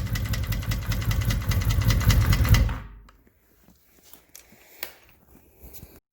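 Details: 1983 Honda Magna 750 V45 before repair: fast, sharp ticking about three per second over a lumpy idle until shutdown; caused by a broken valve adjustment screw that required a new head.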